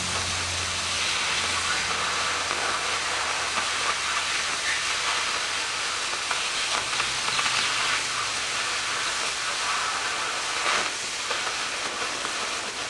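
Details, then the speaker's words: Oxy-fuel cutting torch run at too-slow travel speed on an already hot piece: continuous roaring hiss with occasional crackle and spatter, melting the top edge while the cut stays relatively clean. "here's a result of a slow travel speed a lot of heat already in the"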